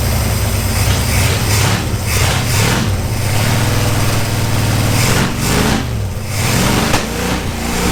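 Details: 1977 Dodge Monaco 360 V8 parked since 1989 with stuck valves worked on with hammers and pry bars and poor compression; rough, uneven, lumpy stumbling when revved; owner hopes revving clears it, also suspects a vacuum leak.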